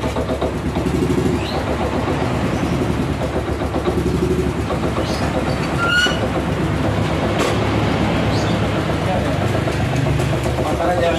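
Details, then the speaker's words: 2010 Yamaha Vega ZR with rough clatter at low idle that fades when throttle is added, and stalling when put in gear; traced to the centrifugal clutch, with the clutch bell worn too deep. "jadi di sini kendalanya setiap masuk gigi dia mati ada suara suara kasar sewaktu RPM rendah ataupun langsam ya jadi ketika ditarik gas sedikit dia Suaranya akan menghilang"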